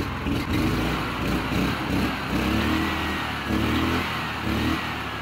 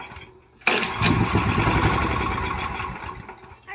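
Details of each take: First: Honda GX340 11 hp single-cylinder engine, carb and tank cleaned, unmounted and vibrating on concrete: steady mid-pitched thrum at even speed with rattle from the loose base. Normal running. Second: Honda GX340 11 hp ex-pressure-washer engine after long storage, carburetor and fuel tank cleaned, oil added, premium fuel and starting fluid: after a pull it fires abruptly and runs rough and uneven about three seconds before fading, barely catching.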